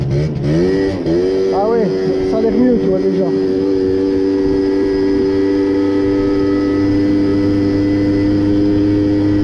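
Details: Two-stroke moped or scooter being carburetor-tuned revs up and then holds a steady, somewhat dull buzz that won't climb freely; the mixture is too rich, reportedly from an inverted or altered air filter setup, costing power.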